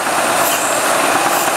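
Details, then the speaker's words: GM Series I supercharged 3800 L67 V6 running: loud steady airy sucking hiss from a large vacuum leak at the failed supercharger-to-lower-intake gasket, enough to nearly stall it; causes P0171/P0141 lean codes, rough running and high idle. "Guys, you got to hear the width of sucking sound. Well, you get the idea. So, that is one leaky ass gasket."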